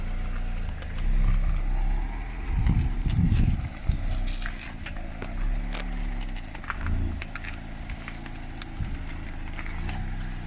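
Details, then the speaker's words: 2016 Mazda MX-5 ND Miata front end, driving slowly in parking lot near full lock, sometimes halfway: sharp click-click and occasional pop over road rumble; driving unaffected, origin undetermined. "I turn the wheel usually all the way when it's like full lock uh sometimes halfway though I get a click click and sometimes a click click pop kind of noise"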